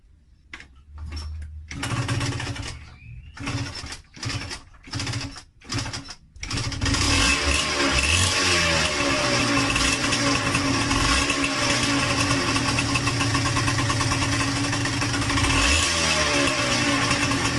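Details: Yamaha DTR125 two-stroke, new piston fitted three days earlier, carb leaking from the overflow pipe: coughs into life, then idles with a hollow rattling top-end knock; valve or piston contact first suspected, found to be piston slap.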